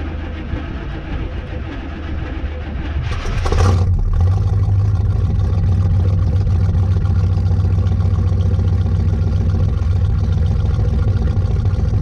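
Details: 1986 Chevy K10 carbureted truck, carb and choke recently tuned, sat about 1.5–2 months in a tarp garage, cold start at about -6°F with key on and pedal pumped once: brief crank, catches within seconds, smooth even low idle; normal cold start and idle.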